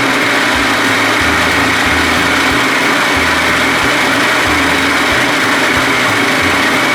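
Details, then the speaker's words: 70 hp Johnson outboard after rewiring broken ignition key switch to waterproof push-button start, primer and kill switches: smooth, even buzzing run at constant loudness, no misses or surges; works great. "Oh baby all right works great"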